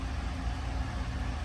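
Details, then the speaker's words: Chevy Silverado LT1 V8, 75k, after full top-end rebuild for cylinder 5 misfire (worn cam); lifters bleeding down, low steady quiet rumble with no ticking or stumble, smooth normal idle. "let those lifters bleed out fully and it sounds quiet sounds really good nice and smooth"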